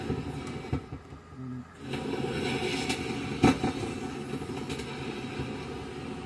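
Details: Consert AV73 BT amplifier mic mixer: rough crackling hiss and rumble from the speaker when the mic volume is raised with no mic connected. Swapping controls and checking capacitors didn't help; signal tracing pointed to a faulty preamp op-amp.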